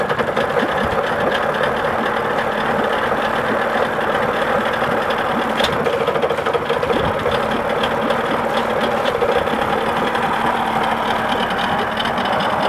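Uneven, stumbling two-stroke idle with irregular pops and a lumpy beat instead of a steady burble, so the idle is rough, cause undetermined.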